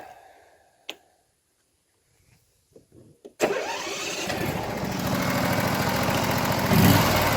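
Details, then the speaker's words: Briggs & Stratton mower engine that had been popping and banging at the intake, after the carburetor tuning screw was turned slightly toward lean, choke off: a few cranks, then it catches and settles into a steady, even idle without misses; sounds normal. "Yeah, that sounds more like it. Sounds normal? I think it sounds pretty good."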